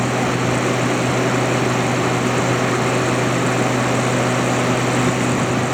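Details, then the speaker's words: Haier ESA410J-RGB 10,000 BTU window AC, condenser-side airflow test at the back of the unit: strong steady rush of air, constant low hum, no rattle or scrape, fan at about 1450 RPM; condenser fan running smoothly. "So yeah, very very powerful. Just pushing 1450 RPM on the back of the unit there. So this thing is very powerful for its size."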